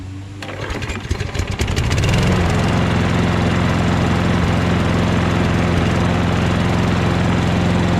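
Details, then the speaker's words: Toro Recycler mower, Kohler XT675, after bending and reinstalling a loose front part with silicone at the tabs: pull start catches within two seconds, steady even drone, front vibration rattle gone; normal running, though engine still surges elsewhere. "Doesn't vibrate anymore and make that sound in the front, but now I gotta figure out why it surges."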